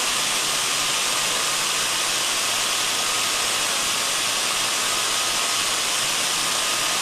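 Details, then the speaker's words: Ultrasound recording taken on the body of a reduction gearbox: even, steady hiss, smooth and uniform, no knocks, crackles or surges; healthy, normal gearbox running. "and uniform in nature that's just what we want to hear"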